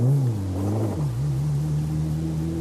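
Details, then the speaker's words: Sound-quality lecture example of a premium family car engine: a smooth, even low hum with no knocks, contrasted with a more powerful-sounding car; normal running. "the second one is more smooth and more like it's like a more premium family car the other one is more powerful"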